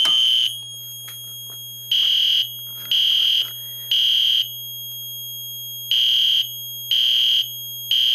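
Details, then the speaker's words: Fire alarm system test, pull station on Zone 1 of the control panel triggering the alarm horn strobe on full-wave rectified power: raspy, high horn blasts with gaps, steady pitch; working normally. "as you can hear it is doing fwr that's why it sounds a little raspy as you can see it's an alarm right now"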